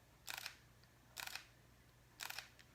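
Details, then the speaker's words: Fuji X-T3 mirrorless camera with the shutter set to mechanical; three soft, brief double clicks about a second apart in a quiet room, the light, normal sound of the mechanical shutter. "Barely, I bet, huh? That's the mechanical shutter on the X-T3."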